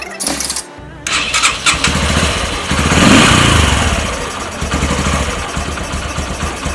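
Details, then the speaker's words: Yamaha YBR 125 single-cylinder after carburetor tuning, idling and revved; modification makes it louder, carburetor intake noise sounds almost twin-cylinder. Strong revs with loud raspy intake roar rising and falling with throttle; engine runs fine, just louder. "आपको मैंने बताया था कि इससे आपकी थोड़ी सी आवाज़ ज़्यादा होती है, अच्छी आवाज़ है, मुझे तो पसंद है ये वाली आवाज़।"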